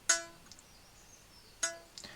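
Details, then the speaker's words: Treble reed from a 70-year-old Hohner Verdi 1 accordion being restored, plucked after ultrasonic cleaning. Two sharp pings ring with clear pure overtones and a clean decay, showing a clean, freely vibrating reed. "the nice thing is when you pick one up and give it a little ping it's got a really nice clean kind of ring to it which is nice and it kind of it's really nice to hear that cuz that's kind of sound of the read being nice and clean and vibrating really nicely"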